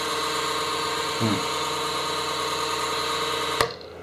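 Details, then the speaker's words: Creality CR-10S 3D printer: steady whirring fan with a brief rattle, then quiet after a click; the cheap power supply fan makes random noises when the control unit is turned or flipped. "yeah it's this cheap power supply fam that's making the noises"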